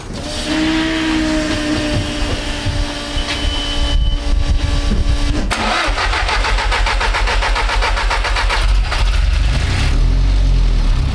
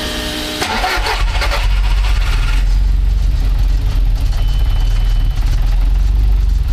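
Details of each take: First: Engine started after swapping the Garrett G25-660 turbo for the smaller G25-550: a harsh, rapid puffing rasp over the idle from a serious exhaust leak at the turbo where the EGT probe was left out; it ran better once the probe was fitted. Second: Car after a Garrett G25-660 to G25-550 turbo swap, with the EGT probe refitted to stop an exhaust leak: brief crank, then the engine catches and settles into a steady even idle; no leaks, normal start.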